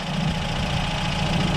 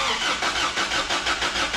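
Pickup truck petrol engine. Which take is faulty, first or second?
second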